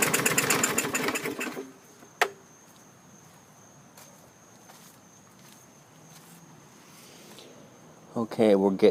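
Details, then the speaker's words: 2017 MTD push mower, Briggs engine with muffler-run automatic choke: recoil cranking bursts with no catch; turns over but won't start; spark present, rusty plug, moisture in cylinder suspected. "close i'm gonna keep trying if we don't have any luck i'm gonna happy juice it to give it some persuasion"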